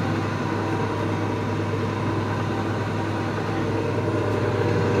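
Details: Microkinetics milling machine spindle fitted with a brand-new Marathon motor, running smooth as silk: steady low hum with an even, unchanging tone, no grinding, knocking or whine; normal running.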